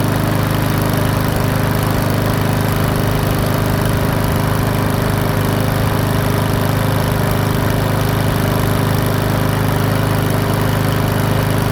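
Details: PowerSmart 170cc push mower after valve adjustment and bending the governor arm tab to raise speed from 2900 to 3100 rpm; smooth, even single-cylinder drone at steady speed, no misses or surging; running healthy.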